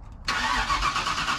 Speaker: so we're gonna fire up real quick it's a little bit loud there is no exhaust on it so let's see how this whole 5 liter sounds